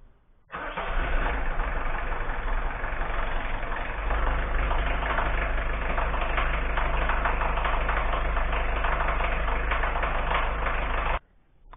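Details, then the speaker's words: Peugeot XUD9 diesel from a Citroën ZX starting and idling with a heavy, regular clac-clac knock; the owner believes a connecting rod had play, and the centre cylinder no. 3 bearing is the most damaged. Rod knock. "c'est parce que je crois qu'il y avait une bielle qui avait du jeu les quand je démarre et ça faisait pas clac clac clac clac clac clac"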